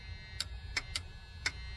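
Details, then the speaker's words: Freightliner FL70 truck with Cat engine, long-sitting, one battery hooked up: four crisp clicks about half a second apart as the battery switch engages normally. "Switched on. She switched on."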